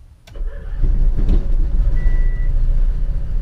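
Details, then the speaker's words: RV generator after fuel tank refit and new Motorcraft fuel sending unit install: cranking click, then catches once fuel reaches it and settles into a steady, low, even run; normal start. "there we go perfect yep just needed to get that gas up in there all right so that worked great"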